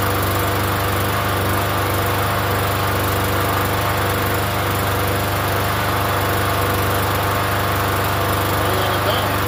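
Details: Free Yard Machines 21-inch self-propelled mower, primer-style engine about 10 years old, unused for over a year, first start: steady even buzz at constant speed, no misses or surging; running fine.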